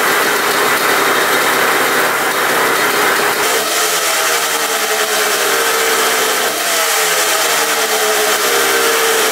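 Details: 1980 Suzuki RM125 two-stroke dirt bike, $500 find, choked and started: loud, ringing buzz at fast idle that wavers unevenly in pitch with a brief stumble midway. Running a little rough, cause unknown; the tank is leaking gas.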